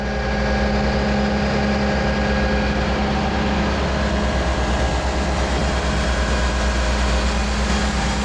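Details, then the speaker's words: Cummins 6.7 truck diesel in a 1969 trawler repower, running after resealing the engine; deep, even rumble with steady low hum, no squeak or irregular knock; leak cured and earlier squeak stopped by itself. "Good news. No more leaking. No more squeaking."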